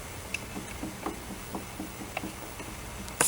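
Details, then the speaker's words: Honda Dio 34 scooter that won't start, recently bought, engine disassembled and turned by hand: faint dry clicks about three a second from a worn crankshaft main bearing. "звук шату підшипника і все і в мене зразу падає настрі"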